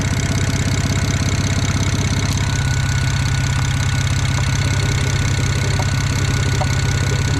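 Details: Built BMW N54 335i at a steady idle with evenly spaced pulses and no ticking or exhaust puffing; sounds healthy, though the owner is chasing a suspected turbo exhaust leak and worries he has done something wrong with the engine.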